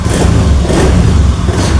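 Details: Honda Beat scooter engine starts and runs steadily with a low, even throb and slight rev after jumpering the 4-pin relay; fuel pump hum heard, dead electrics traced to faulty relay.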